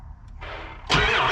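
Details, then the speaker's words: 2001 Ford F-550 7.3L Powerstroke, cold after a weekend at about 0 degrees, not plugged in: sluggish cranking ends in one brief loud puff that dies away; batteries too weak, no start. "Batteries are too weak. We're gonna have to get another truck on this. If the batteries were a little bit stronger and newer, this thing would fire up."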